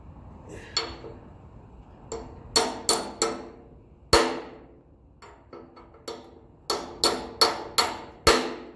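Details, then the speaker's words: Massey Ferguson 35 axle oil seal being tapped in: light irregular hammer taps turn into a bright metallic ring as the seal's metal case bottoms against the axle; seal fully seated. "It's starting to sound like it's home. You'll hear the metallic ring out of it. That's the metal of the seal hitting the axle."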